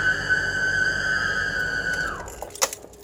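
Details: 2005 BMW E46 320i while running: a steady high shrill squeal that slides down in pitch and dies as the engine spins down. Caption attributes the squeak to the alternator.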